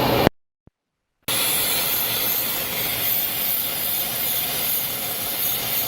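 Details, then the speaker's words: 3.6 L petrol engine idling higher than normal (normal 700–800 rpm), P0507 idle-high code, check engine light on; steady airy hiss over idle that changes when hoses are moved, traced to a vacuum leak at the PCV valve. "ladies and gentlemen I hear a vacuum leak that is idling higher than normal I think normal what 700 800 RPM"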